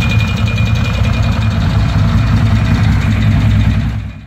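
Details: 1994 Ducati Monster 600 at idle: lumpy V-twin idle with a loose, uneven knock riding the firing pulses, roughly three per second; owner suspects the piston slap known on early Monsters, not confirmed.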